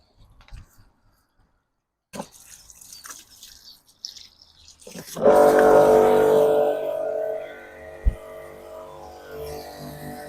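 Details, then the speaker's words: Karcher electric pressure washer after clearing an air lock from the pump: quiet at first, then the pump cuts in with a steady droning hum and water rush, pressurising again; normal pump running. "There we go! So now the pressure washer is pressurising again"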